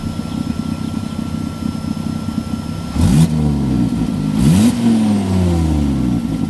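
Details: Volvo S40 T5 2.5 L inline-five, two hard revs from idle: a loud raspy blatting bark rising with throttle from an exhaust leak at the flex pipe bolted to the turbo, like a catless turbo outlet.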